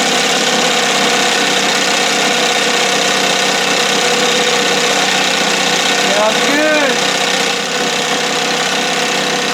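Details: 1968 Evinrude 6 hp two-stroke outboard on a stand, old plugs: steady even buzzy idle with no misses or knocks; running clean, "a little fluffy".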